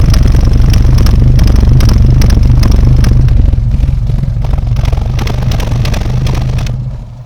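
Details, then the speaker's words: Austin A40 Farina classic car with a suspected ignition problem at idle: loud, lumpy exhaust surging about four times a second instead of its earlier smooth purr, not quite coughing; owner suspects the distributor, cause unconfirmed. "see when we listened earlier it was purring now it's got that almost like a surge constantly going through it's not necessarily coughing on this one but it's like a surge really lumpy"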